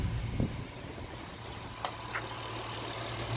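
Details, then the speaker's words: Honda V6 petrol engine idling after replacing all spark plugs: low even hum with no popping or stumbling; the earlier misfire with misfire codes is gone. "I'll just finished everything and start it up and look you don't hear any popping misfire like poop poop poop anymore everything's running fine"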